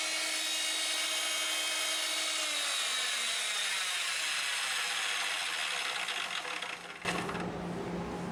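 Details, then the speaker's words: PowerSmith PS2814A dry-cut metal saw after repairing a cracked blade-lock housing with epoxy and re-greasing the gearbox: spins up to a steady high gear whine with no grinding or rattle, then settles under load; gear noise sounds the same as before. "I mean, it sounds exactly like it did before, at least in terms of uh gear noise and anything you hear there."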